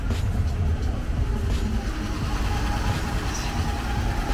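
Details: Van broken down in rural Colombia after crazy noises and a rattle, with a transmission leak and suspected transmission overheating; engine idled and given a little gas to try to reproduce the noise. Even note, no knocks, ticks or squeals.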